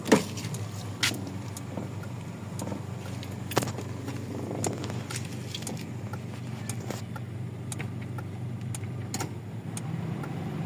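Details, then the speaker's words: Toyota Corolla GLI 4A-FE petrol engine after fixing idle problem: idles low and even with a steady hum and a few light clicks; now quiet, no longer rough as before. "So okay na ngayon tahimik na. Hindi na siya tulad kanina."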